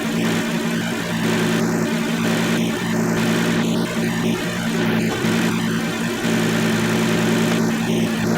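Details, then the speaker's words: 2007 Kia Sedona 3.8L idling with newly installed AC compressor (old clutch windings shorted) engaged: smooth, steady even hum, no grinding or clatter from the compressor; normal AC compressor running. "So far so good. Everything's good there. Alright, now I'm going to click on the AC compressor."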